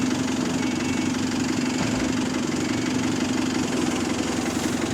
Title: Small Exhaust Leak | GAL SEN18 On Bus Route 386 & GAL WVL413 On Bus Route 178 (Spot)